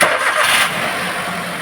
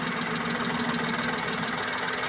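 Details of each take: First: Maruti Suzuki Wagon R K-series (complaint: low pickup, jerking under acceleration uphill, misfire, low mileage) after boot and cable fitted: engine catches at once, settles to a quiet, even idle, no knocks; rain outside alters sound; normal start and idle. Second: Maruti Wagon R K-series petrol engine at idle, with low pickup, jerking and low mileage: slightly uneven, lumpy beat; unplugging this cylinder's ignition coil changes nothing, showing a dead, misfiring cylinder.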